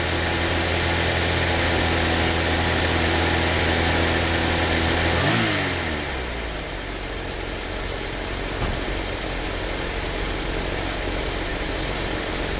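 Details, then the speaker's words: Old Chrysler with a new alternator and new carburetor, dropping from high idle (14.8 V) to regular idle: steady even beat with no misses at 14.6 V, versus 12.8 V on the old alternator. The engine shakes slightly for unknown reasons. "all right so there's regular idle and we're still sitting at 14.6 my other alternator was down at like 12.8 so that's awesome"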